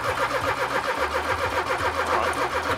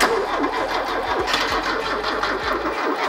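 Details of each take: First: Porsche 924 left in a field about 18–20 years, bonnet cut open: brisk, even cranking with strong steady starter whirr, turns over much better now but never catches; starter works, fuel settings suspected tampered. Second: Porsche 924 project car, abandoned in a field about 20 years and off the road for at least 18, cranks slowly in uneven sagging strokes without firing as the battery runs out of charge; jump-start planned.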